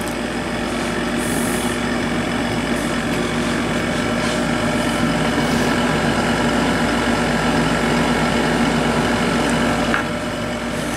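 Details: 1997 Sharp 8,500 BTU R22 window air conditioner: steady drone with a faint rough whirr from the fan motor. Bearing noise present for about 15 years despite oiling; not loose or stiff, unit still works perfectly.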